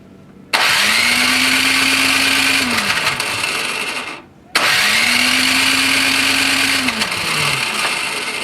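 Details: Toro Power Clear 621E snowblower, 163cc OHV four-stroke, with water in the carburetor bottom and the carb leaking: two few-second electric-starter cranks winding down with no firing. Cranks but won't start; ignition also being checked.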